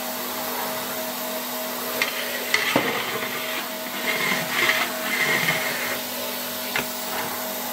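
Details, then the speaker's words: 1966 Alfa K2 (A7F) vacuum with an SK-5b motor, reassembled and run at slightly reduced voltage. Steady motor hum at constant pitch with a few nozzle bumps on carpet. It runs smoothly and quietly. "Pięknie działający odkurzacz. Zobaczcie jak cichutko chodzi. On teraz działa na troszeczkę zmniejszonym napięciu, ale mimo wszystko bardzo równo, cicho, przyjemnie chodzi."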